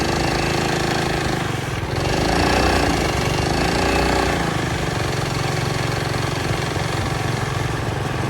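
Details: Early-1970s Pacesetter Trailbuck mini bike on a test ride after fitting a new torque converter not set up for jack-shaft use; revs rise and swell but the pitch flattens without pulling harder or climbing to speed. Torque converter slipping.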